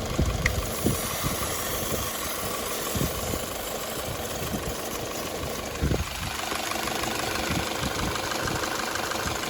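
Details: Mitsubishi Xpander on LPG, after the shop fixed its gas-mode shaking, stumbling and error beeping: the engine idles steadily and evenly on gas, with a few handling knocks in the workshop.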